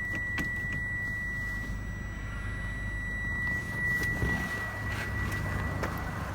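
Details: Toyota Camry 50 2.5, after balance shaft replacement, which cured a knock and vibration at idle under load. Quiet, smooth low idle with a steady hum and no knock or rattle.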